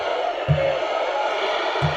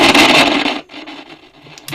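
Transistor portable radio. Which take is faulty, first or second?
second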